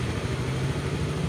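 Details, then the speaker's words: Honda Beat FI scooter idling: low idle keeps rising and sagging by itself instead of holding steady; also stumbles at low speed especially in rain and cold but fine at high speed; traced to a failing O2 sensor. "Harganya naik turun terus-menerus. Seperti ini. Lihat, tuas gas turun dengan sendirinya."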